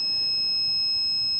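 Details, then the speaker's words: ATGFOX 8250A jump starter clamped backwards: steady high electronic tone with chirps about twice a second, its reverse polarity warning, red light lit. "You hear the audible? That's telling you reverse polarity detected."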